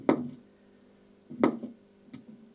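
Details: 1960s Philips AG 4025 record player bought non-working, motor powered with top removed: quiet hum with a sharp knock about every 1.3 seconds, once per turn, like the mechanism catching; auto changer suspected not working, cause unconfirmed.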